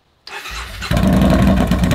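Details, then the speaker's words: 2015 Yamaha Bolt R-Spec with exhaust baffles removed, which also causes stalling: short crank, then deep, blaring, uneven twin idle that maxed out the audio; excessively loud exhaust. "He's been riding around with this for a couple weeks now, and it is grotesquely loud. So, in today's video, we're gonna show you guys what you can do on a motorcycle that is way too loud."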